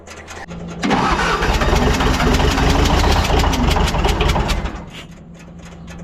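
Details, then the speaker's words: Military fuel-trailer pump diesel engine, missing glow plug: cranks, catches and runs about four seconds with a lumpy, uneven beat; that cylinder would have zero compression, yet it runs. "it runs even without the glow plug in so that's pretty cool because that cylinder would have zero compression"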